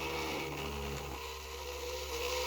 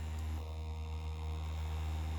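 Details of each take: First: 3D-printed maglev motor spinning at about 4,000 rpm on 12.3 V and 0.10 A: fast, steady whir with a buzzing rattle on top; vibration noise because the stand is unstable and lacks rubber feet. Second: 3D-printed maglev spinner motor with small ring magnets run at 12 V: steady, low, even hum with no knocks, rubbing or wobble; spinning fast and humming perfectly.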